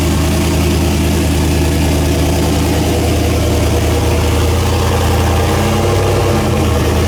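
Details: First start after replacing one head gasket, reassembled with copper RTV after priming fuel: deep, even idle hum with a steady low beat and no knocks or misses; engine settles and runs smoothly.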